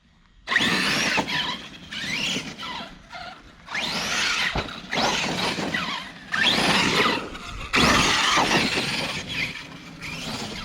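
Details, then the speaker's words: Arrma Kraton RC car after shimming the rear differential to cure clicking, on a test run: bursts of smooth high whine as it runs and stops, no clicking between them; the fix seems to have worked. "i may have fixed it it sounds like uh that fixed it so whew so"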